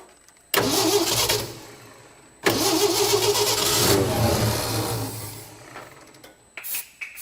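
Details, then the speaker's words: 1967 Ford F-100 with 240 engine, first start after 30+ years, low on fuel, carburetor likely gummed and leaking at the accelerator pump: catches twice, surges then sags, no steady idle; rough running, owner suspects fuel delivery. "almost starting to idle [Music] there it's iding barely um I'm guessing our issue is going to be fuel delivery but at least we have spark and the thing sits there in Idols"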